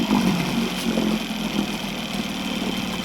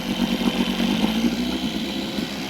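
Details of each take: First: Evinrude outboard on a jon boat idling in forward gear at about 750 rpm (neutral about 1200): steady, even low putter with no misses, knocks or hunting. Normal, though it runs smoky and lacks fine idle adjustment. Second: Evinrude two-stroke outboard on a jon boat, running smoky: rough, uneven putter at low speed that never settles; won't hold idle, lacks fine idle adjustment though power and fuel pump are fine; cause uncertain.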